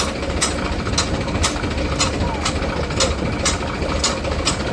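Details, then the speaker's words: Shaktiman rotavator driven by tractor after bearing and wall seal replacement and new blades fitted; even churn with no grinding, a light tick about once a second from one blade bolt still to be fitted. "તો મિત્રો આ રીતે આપણું cutter હવે બહુ ready થઈ ગયું છે કોઈ પણ જાતનો અવાજ નથી"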